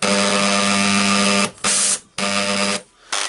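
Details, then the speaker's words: Bosch GEX 125 AC orbital sander: steady buzz unloaded, then stalls abruptly under pressure, no power on load; suspected worn ball bearings, fixed by replacing two 6001 bearings. "Then when I put a pressure on it, it just stops. And I suspect that uh it will be the ball bearings."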